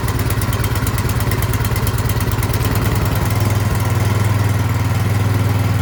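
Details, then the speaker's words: Craftsman snowblower small engine test-run after carburetor cleaning, before reassembly, primed and choked to start. It runs at a steady speed with an even, regular beat, no surging, popping or stalling; running well. "all right it's running great so now I know I can put it back together"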